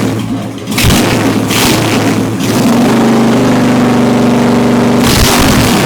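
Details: Honda Shadow V-twin motorcycle, first start after installing a Hypercharger intake: loose, lumpy idle that picks up cleanly through quick blips and drops back steadily. The engine sounds healthy, and the owner thinks it sounds better than before.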